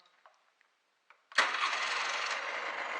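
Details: Honda NSR 125 two-stroke after exhaust gasket work, quick test start: fires at once after a few clicks, settling into a crisp, high, buzzy idle that holds steady, coolant flowing. Normal start and idle.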